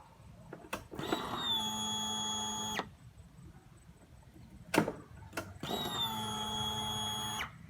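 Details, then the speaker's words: Honda Beat FI scooter, key switched on after installing a new fuel pump to cure hesitation: two even two-second buzzing runs that settle quickly. Pressure reaches 43 PSI and builds faster. Normal fuel pump priming. "Oke, tekanan yang dihasilkan dari rotak yang baru menginjak ke angka 43 PSI. Ya, lebih responsif sih kawan-kawan ya, naiknya lebih cepat."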